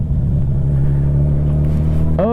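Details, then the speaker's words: Motorcycle after half a tank of heavy riding with Seafoam cleared the system: smooth, steady low rumble with even firing, no popping or spitting through the intake, no longer running weird; normal running. "I'm a happy camper good bike good bike yeah it's not running weird at all anymore sounds really good sounds like a happy bike"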